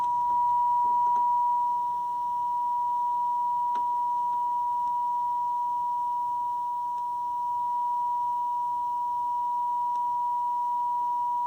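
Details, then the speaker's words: Zenith R430 AM/FM table radio (1970 or 1980), being serviced, FM detector adjusted for the cleanest sound: a steady, pure tone near 1 kHz with no buzz or distortion, so the detector is well aligned. "I don't know if you can hear the change in the sound as I adjust the detector. Going for cleanest sound there."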